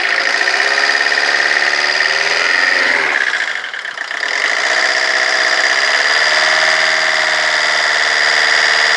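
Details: Rover 25 diesel at idle: uneven clatter with a lumpy beat; the speed sags and hunts around four seconds in before recovering, a rough idle.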